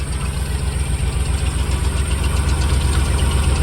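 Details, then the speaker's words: 1974 Jensen Healey with Rover 3.5 L V8, first fire-up after head swap to replacement heads (old valves worn out), stone cold: deep even burble at fast cold idle, no knocks or misses; normal cold idle, still warming up. "Okay. Sounds good. That sound good. It's stone cold the engine still. So, it's still warming up."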